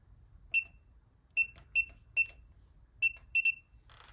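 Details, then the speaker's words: New replacement ULTRALOQ U-Bolt Pro smart deadbolt, manually closed and then an open attempted: a string of unevenly spaced short high beeps with no motor whir. Motor won't drive the bolt; cause unknown. "So I'm not sure what is causing this. I've even tried to manually close it. So now we're closed. Try to open it."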